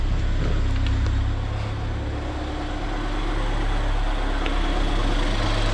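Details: Car bought with zero power, after repairing a failed EVAP pipe, air box off: steady even low idle hum with no hiss or hunting; engine idling normally.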